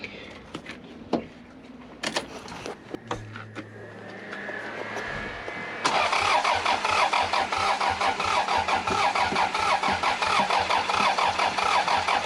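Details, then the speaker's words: 3S-GTE Corolla on pure methanol, started after two years unused with fresh 10W40 semi-synthetic oil: steady starter whirr at about 1.5 beats per second, even compression pulses, never catches. Fuel supply suspected, not confirmed; one cylinder possibly low on compression. "so no it's not starting sansa's got some compression though maybe not four that's got some"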